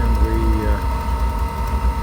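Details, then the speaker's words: RV propane furnace (Suburban, older Alpine coach) restarted after no-light test with propane off: steady mid-pitched blower hum over an even rumble, no scraping, then ignition pop and hot air; normal blower operation. "can hear the furnace blower motor running and we just heard the pop and we now have hot air coming out"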